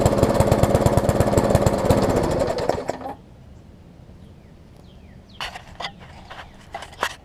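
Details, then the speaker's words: Craftsman mower with Briggs engine, dumpster find, running as found before service: chugs for a few seconds with heavy, slightly uneven beat then shuts off; sounds very rich, owner suspects carb diaphragm needs replacing. "actually runs as is, but it sounds like it's running really rich, so I probably have to put a carb diaphragm in it, which is to be expected, and then I'm gonna fix this stuff up here."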